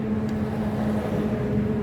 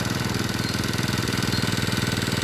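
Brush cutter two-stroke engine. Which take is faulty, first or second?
first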